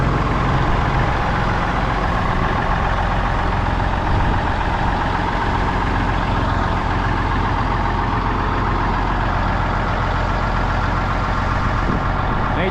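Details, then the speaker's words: 1964 Mack C-600 diesel truck, not run in two to three years: deep, even rumble holding a steady beat with no knocking or misses; running healthily. "is at 60th birthday still sounds good"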